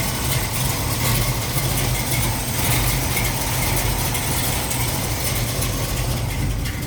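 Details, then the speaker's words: 1969 Ford Mustang Mach 1 V8 during a pre-purchase inspection: it starts right up and settles into a steady, even low idle with no knocks or misses, no smoke, and it is not running rich or lean. "Starts right up, sounds good."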